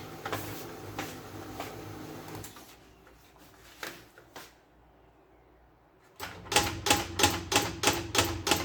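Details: Old HP LaserJet P1102, printing after its broken gear, which caused grinding, noise and paper jams, was replaced with a second-hand gear: crisp, evenly spaced clicks about three a second as the page feeds, with no grinding; normal printing.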